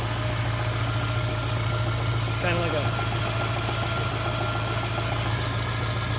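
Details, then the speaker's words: 2005 Subaru Impreza flat-four that blows heavy blue smoke and spits oil from the exhaust, at idle: light, even tick three or four times a second from one side; possibly piston slap or cracked ring land, probably not rod knock. "a tick tick tick tick tick tick tick and I tried to use a screwdriver stethoscope and it sounds like it's maybe one of these two cylinders"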